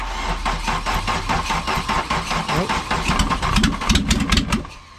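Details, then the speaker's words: 1986 VW Jetta Mk2 1.6 MF turbo diesel, pump timing reset after over-fuelling; long uneven cranking with ragged chuffs never catching to clean idle, hard starting because injection pump timing is badly off and needs retiming. "okay well we [ __ ] up the pump timing something awful when we were messing around so i think we time the pump and then yeah but let's pull it in to retime the pump yeah"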